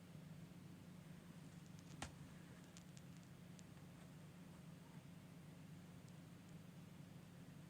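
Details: PC after restart: only a soft, steady low hum with a few faint clicks, fans spinning quietly and evenly, nothing rubbing or roaring; normal quiet fan operation.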